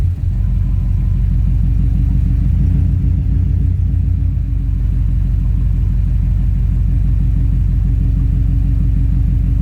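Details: 2003 Subaru WRX EJ207 with AEM fuel pump, code P1230: low lumpy idle with uneven thumps and surges, jerking and bucking; owner unsure whether fuel pump control module, fuel pump or electrical fault.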